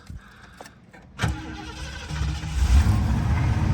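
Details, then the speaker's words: 1978 Lincoln Continental Town Car, two-owner car: short crank, catches at once and settles into a smooth, slightly rising idle without stumbling; starts right up and runs nice. "Starts right up and runs nice."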